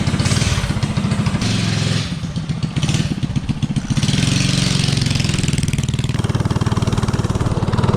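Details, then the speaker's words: 197cc LCT snowblower engine on Coleman CC100X minibike with Nibbi 24mm carb (120 main, 38 pilot), header pipe, 18 lb valve springs: revs and pulls cleanly, former lean hesitation gone; normal running. "Oh yeah, I definitely like that one better. Doesn't have that hesitation now."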